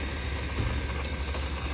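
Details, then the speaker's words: Refrigeration unit whose compressor struggles and vents through its high-pressure internal bypass: a steady loud hiss over a labouring hum. The condenser fan motor is not running, with its fan blade broken off and the assembly stuck. "sounds like it's going off on internal bypass this guy's tired it is struggling so that is going to be High Press bypass"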